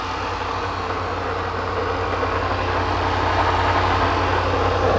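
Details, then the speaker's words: Range Rover supercharged V8 510 hp, first cold start of the day: steady low growl pulsing under an even idle, like a bearing rumbling; suspected supercharger or an accessory belt component, not confirmed. "mas está fazendo um ronco bem esquisito mesmo"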